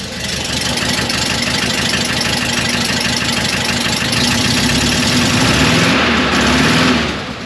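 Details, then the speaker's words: Porsche 912 air-cooled engine idling cold, mic held out at the exhaust: faint, quick ticking from a leak ahead of the new muffler, likely a poorly fitted J-tube or an improperly installed muffler gasket. "If you listen really closely and you have that that train 912 ear, you can hear there's exhaust coming out the tailpipe tip, but there's also an exhaust leak coming out of the exhaust before the muffler."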